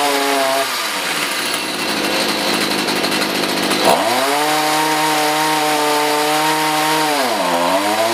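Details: Stihl HS45 hedge trimmer two-stroke, previously not starting, after a new gasket, primer bulb and fresh non-ethanol fuel: buzzes steadily, with revs rising and dropping cleanly with throttle and no misfire. Normal running.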